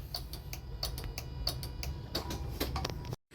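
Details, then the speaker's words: Mazda RX-8 with tune, set back to naturally aspirated with hoses hooked up, first start attempt: key on gives fast even clicking, about three per second, no cranking; owner suspects dead battery or failed starter. "Maybe um maybe the battery's [ __ ] itself or maybe the [ __ ] starter's [ __ ] itself. It clicks. It just goes click click click click click"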